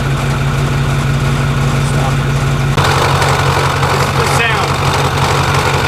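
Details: Truck at idle after pulley replacement: loud steady idle with even raspy whirring from the front of the engine; belt-area noise persists, cause still unknown, AC compressor and belts to be checked.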